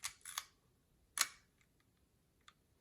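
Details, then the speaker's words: Mint, new-old-stock early Leica MP with M6 ISO dial, just back from Leica factory service: soft, quick, clean shutter clicks, no drag or rattle; quiet, smooth, healthy shutter. "So that's the sound of the Leica service, fresh service. It's very quiet and soft. Of course, it's smooth."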